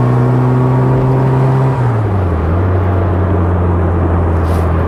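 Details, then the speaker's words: Restored 1960 Bugeye Sprite, just started and warming up; even engine note settling lower after a few seconds and holding smoothly, no misses; running normally. "It starts nicely, just warming up here, and let's hear how it sounds."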